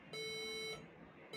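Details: HP EliteBook 840 G3 laptop at power-on giving sequence of beeps, steady high beep then pause then repeat, with F12 key lighting.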